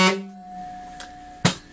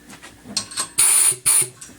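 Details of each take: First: Air horn after quieting modification, measured at 113 dB, about the 115 dB street-legal target: short steady blast with a clean, even tone that cuts off sharply; normal tone after adjustment. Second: Locomotive-style air horn after modification to quiet it from 127 dB, with the back cap refitted and the nut loosened: short sputtering bursts and brief hisses instead of a clean blast. Misfire because the nozzle is set too loose; fix is to move the nut over.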